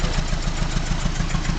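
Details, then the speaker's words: 1989 Mazda B2200 four-cylinder, 5-speed manual, smokes a lot, at idle: steady beat about six pulses a second with loose buzzing rattle; vibration rattle, owner suspects a mounting bolt not fully tightened. "it's just a kind of vibrator logical this mounting bolt is not tight in there all the way"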